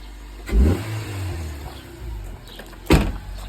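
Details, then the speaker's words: 1992 Honda Prelude fourth gen, after cleaning and adjusting the IACV to cure bouncy idle/idle surge, engine likely still cold: even idle, a light throttle blip returns cleanly to a steady beat, no hunting; idling somewhat high. "but it looks like I've done it enough cuz it's smooth there seems to be idling quite high but it's probably just cold"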